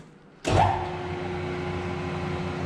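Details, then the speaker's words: LeBlond Regal 19" gap-bed lathe, 5 hp three-phase motor, electric brake, spindle in low range at about 35 rpm: motor clicks on then settles into steady even hum with faint constant tone; normal low-speed running. "That's a low range of about 35 RPM."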